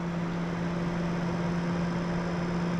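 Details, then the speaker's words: Newly installed Fan-Tastic Vent roof fan on a 2017 Gulf Stream Vintage Cruiser RV trailer, switched to intake (air in) mode: even constant motor hum with light airflow hiss, no wobble, tick or grinding; normal fan operation. "I'm gonna wait till it's done spinning here before I turn it on, but all we gotta do here is flip this to in, then we can turn this on, and now it's gonna go ahead and push air in."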